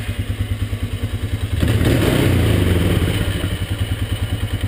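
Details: 1998 Polaris Scrambler 500 H.O. after the starter bendix was cleaned, greased and reinstalled; it had been sticking on the flywheel and grinding: after cranking the engine catches and runs an even thudding beat about three per second; the starter engages cleanly.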